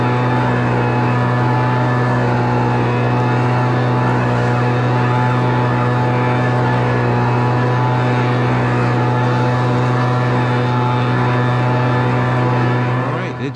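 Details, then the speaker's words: Homelite Mighty Lite 26BP two-stroke backpack blower after carburetor replacement and adjustment: steady high buzz at constant speed, no surging or stumbling; running normally. "all right we got the backpack blow all finished up had to do a little carburetor adjustment to get it all working right"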